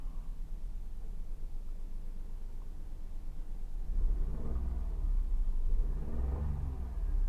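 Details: Toyota Wigo after ignition coil replacement for a misfire: steady, even low engine hum with a brief rev rise midway, no stumble or skip; firing cleanly on all cylinders.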